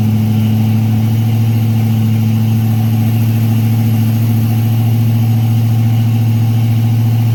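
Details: Freshly built Chevy 350 V8 on its first break-in run, oil pressure around 46 psi: smooth, steady raised idle with a constant deep drone, no ticking or knocking; normal fast idle.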